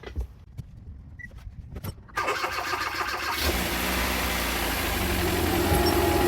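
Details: Hyundai Veloster Turbo after swapping out a brand-new aftermarket (China-made, non-Hyundai) engine that had piston slap: starter whirs about a second, engine fires cleanly and settles into a quiet, even idle with no knocking or slap.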